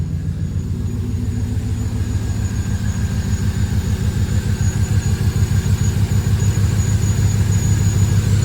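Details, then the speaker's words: Bone-stock LQ9 V8, no catalytic converters, Magnaflow two-in two-out exhaust, idling loud but smooth after finally running; thin steady whistle from a leaking rubber vacuum hose to the fuel pressure regulator, needing replacement. "really smooth runs really smooth uh the whistling you're hearing is this right here it's a a little bit of a vacuum [Music] link I got to get I got to get a new rubber hose for this that goes to the uh fuel pressure regulator"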